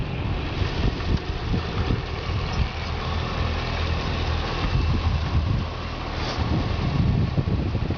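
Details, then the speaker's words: Repairable-salvage 2010 Cadillac CTS-V, accident-damaged on one side: steady, even low rumble at idle with no knocks, ticks or misses; engine sounds healthy and fine. "everything in the engine is fine"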